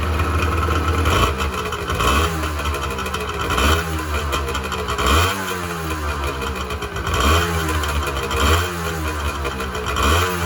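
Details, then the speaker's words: 1986 Honda NS400R 400cc two-stroke triple after 11 months standing, run on choke to empty the carbs for storage: raspy triple surging and stumbling in waves, revs sagging and recovering as the carbs run dry; fuel starvation. "starting to run out of fuel now run on choke for a minute get the last of the fuel out of those carbs"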